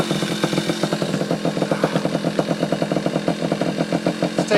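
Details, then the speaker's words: Yamaha Chappy two-stroke after HPI ignition install, stator had been shorting to the case, owner suspects too many grounds: quick, slightly uneven buzzing pops holding steady idle; now running, normal two-stroke idle. "well ladies and gents we got a running"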